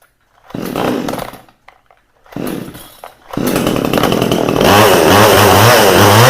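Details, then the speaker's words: Vevor 62cc/58cc budget chainsaw after spark plug regap: catches and dies twice, then runs with a wavering, surging, boggy note; high-speed carburetor mixture needs adjusting. "Now I will tell you, this thing's a little boggy now that I've adjusted that spark plug, redid that gap. So I want to go in here and I'm going to adjust the high side on this."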